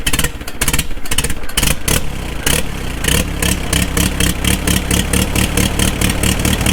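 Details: 4-cylinder tractor right after a magneto was installed and timed, fuel on with a little choke: catches after a few irregular pops with the magneto impulse, then settles into a steady, even putter; healthy idle.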